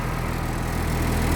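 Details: 1996 Blue Bird diesel bus in cold weather, 50 psi oil pressure, alternator charge coming up, half fuel, throttle response snappy; steady low diesel rumble at idle with even beat, no knocks or misses, normal idle.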